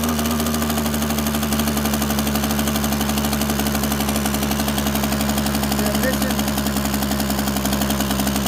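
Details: Echo PB-265LN backpack blower, two-stroke, started after sitting; starts and runs fine at first, then the fast buzzy note stumbles and breaks up unevenly as the spark on an inline tester weakens and drops: bad ignition coil causing misfire.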